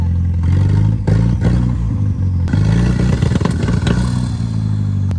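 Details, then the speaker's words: 1987 Ford Ranger 2.3 five-speed with junkyard 1988 Turbo Coupe turbo swap and upgraded fuel system, first drive: rough engine note dips and stumbles on throttle transition then recovers; hesitation, cause not identified. "not happy, is it? Like it doesn't like this like transition throttle for whatever reason."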